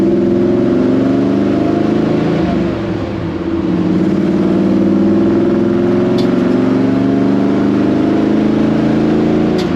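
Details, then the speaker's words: 1954 Chevy pickup after replacing broken T5 transmission, road test in fifth gear at about 60 mph: smooth steady drone, no whine, howl or clunk from the gearbox; transmission sounds healthy. "oh that's awesome we're in fifth gear now doing about 60 M an hour we got no noise so I'm going to take that as a win"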